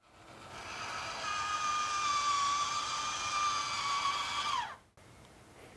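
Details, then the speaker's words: Maxxfan Deluxe roof vent fan in a motorhome, after a year of use; strained wavering creak for about four seconds as the lid opens, from cheap plastic lift gears meshing, audible inside and outside. "also dieses Geknarze beim Aufmachen das ist schrecklich das ist ganz ganz schlimm natürlich ist mir bewusst dass das aufgrund des Preisleistungsverhältnisses zu akzeptieren ist"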